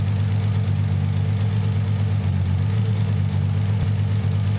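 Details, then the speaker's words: Nissan 300ZX Z32 V6 misfire at idle, low uneven drone and slow throttle response; cylinder cut test with Consult tool shows no change on cylinder 2, a dead cylinder, injector test follows. "you can kind of hear the engine sounds rough and it's also slow to respond to the throttle"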